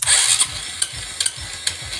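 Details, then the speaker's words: Honda XRM 125 Fi motorcycle with a new push-button start wired through a power-on delay, front wiring and lights not yet done; a short crank catches quickly into an even low putter with a dry hiss, a clean healthy start. "Maganda talaga ang pagkakano. Maganda yung start natin. Power start."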